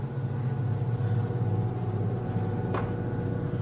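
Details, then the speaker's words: Black & Decker 3.0 portable washing machine, about two years old, on heavy setting: low steady hum with a soft regular whoosh, no banging; the spin cycle is still spinning out water and soap, running normally. "this is the spin cycle, and you see it's still spinning out water, soap, all of that."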